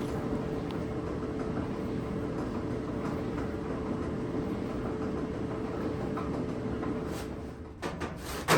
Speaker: yeah you can hear the knocking wobbling sound uh as the drum is spinning